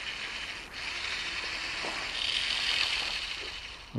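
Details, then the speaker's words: RC Spiderbot with brushed motor and 20A ESC, just-replaced gear; rapid harsh clicking chatter as teeth skip instead of meshing, the new gear already stripped and slipping. "I can hear the gears slipping already."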